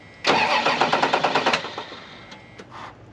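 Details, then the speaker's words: Flooded Dodge Dakota convertible, fresh battery and plugs, first crank after long sitting: starter churns about three beats a second, engine half catches then fades; owner suspects nearly dead fuel pump or water in the fuel: long crank, hard starting. "problem why does it sound like that maybe it's got water in the fuel do it again I think that fuel pump's about dead"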